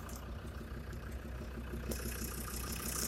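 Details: Land Rover Defender TD5 diesel idling after radiator work, with an external smartphone mic at the snorkel air intake, where the noise was unexpectedly loudest. A faint, slightly uneven ticking knock occurs roughly three per second. It did not go away with warm-up; the most likely suspect is faulty hydraulic lifters, unconfirmed.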